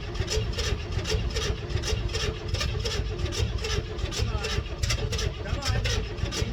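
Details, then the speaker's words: 1964 Chevelle Malibu 230 inline-six, first start after 34 years. Spark is confirmed and gasoline is poured in. Steady cranking with regular puffs about three a second; it catches briefly and coughs but never fires up: cranks, coughs, won't start. "That was running. That was running. That was coughing. That was making noise."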